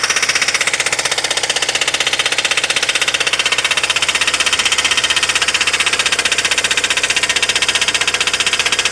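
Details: VAZ 2109 engine running, camshaft play previously found and eliminated; owner wonders whether that play caused it: sharp evenly spaced metallic tapping about three times a second. Engine knock, source unknown.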